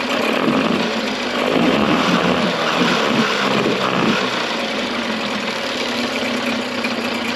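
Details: Early-90s 8 hp Mercury two-stroke outboard, first run in a test tank after general maintenance: busy, uneven buzz with no steady beat; runs rough with fuel leaking under the carburetor, owner doubts the yellow fuel line is the cause.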